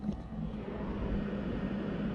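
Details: PECRON E2000LFP power station with updated main board, high solar input: cooling fans kick on, steady airy whir over low even hum, no rattle or surging; normal.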